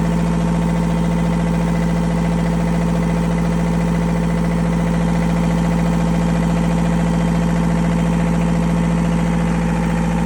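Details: Boat diesel after in-situ repair, running while air is bled from system: deep steady idle, even unchanging beat, no knocks, hunting or stumbling; healthy.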